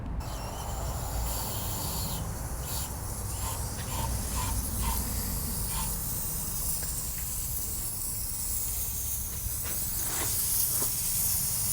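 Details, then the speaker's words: Cummins 220 diesel in a 1953 Peterbilt, pressure test after fitting boost parts with washers added to bolts that may have bottomed out: steady airy hiss over low compressor rumble, leak heard only low down at one spot; cause not confirmed. "But that is literally the only place I hear it. >> Mhm. >> Like nothing up and around in here. >> Yeah. >> It's just hissing right down here."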